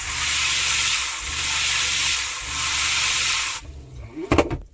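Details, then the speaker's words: Shurflo water pump newly fitted in a Clemenson camper cell on a Mitsubishi L200, system pressurised, tank nearly empty: steady hiss, then tap spits and sputters as trapped air is pushed from the lines; no leaks. "on va regarder si ça fonctionne bien là HB pas de problème y avoir un petit peu d'air à"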